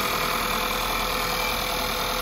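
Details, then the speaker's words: 2011 VW Polo 1.2 TSI CBZA at about 100,000 km, at first start after the timing chain and crankshaft sprocket were replaced with the newer revision: fires right away, smooth steady idle, no startup chain rattle. "right away fire no issues running very smooth very nice"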